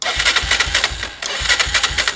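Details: Honda 300 EX ATV with fire-damaged wiring, after swapping in a known-good coil: even starter cranking at about five pulses a second with no firing; still no spark, stator suspected bad.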